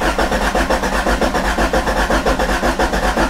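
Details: 1994 Toyota Celica crank no start with no spark confirmed at plug and distributor cap: steady, even cranking about five beats a second that never catches or fires.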